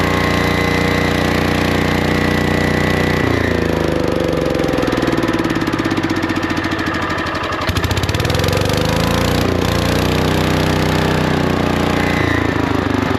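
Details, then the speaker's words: Lincoln Weldanpower 150 welder-generator, probably 1980s, sat at least 12 years; after a carb check (bowl and main jet clean) the single-cylinder engine runs a loud, steady, even chuffing idle with no knocks. Normal idle; generator output still unverified. "It even idles. Nice. Now let's see if it makes power again. All right, so will it run? Yes."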